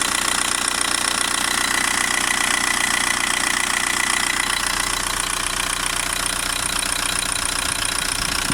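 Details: VW Golf 1.9 TDI AHF 110 diesel at idle, crisp even ticking about 150 per minute from the upper engine; injector or lifter suspected but unconfirmed.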